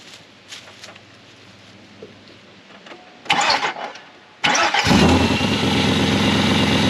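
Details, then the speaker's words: 2000 GMC Sierra, 6.0 LQ4 V8, idle stall fixed by unplugging the MAF sensor: a few quiet knocks, then it cranks, catches cleanly and settles to a steady idle; a bad bearing is felt vibrating. "But now truck is running great."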